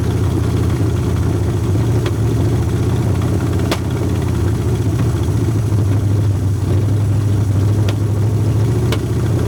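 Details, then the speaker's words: 1981 Ford Mustang Fox body 5.0 V8, long abandoned, running on a pump feeding the carburetor directly: deep idle that lopes and wavers unevenly with the odd sharp pop, though better than before; rough idle, owner suspects a fouled plug holding heat. "I think that it's probably got a plug that's got a bunch of stuff on it and it's holding heat on that plug so it it's keeping it's letting it keep firing is what I think it's doing"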